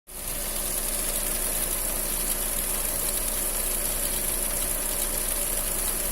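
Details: Fiat Punto 1.4 at idle: thin, constant high-pitched hiss-squeal over steady idle, unchanging; suspected accessory belt noise, not confirmed.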